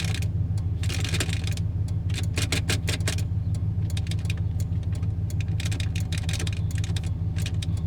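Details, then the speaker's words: Phantom turn-signal flasher clicking at idle on a 1996 Chevrolet truck, 5.7L, after fuel pump replacement: sharp uneven clicks with no signal on; dirty contacts in the multi-function switch, usually fixed by cleaning and re-greasing with silicone grease. "Everybody hear the clicking? Like I'm blinking, but not blinking."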